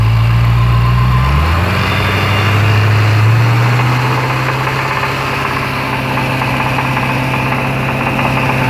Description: Another video of the Jaguar XFR 5.0l V8, knocking when running at circa 2100RPM. After stripping the engine, the big end had worn out, causing the rod knock.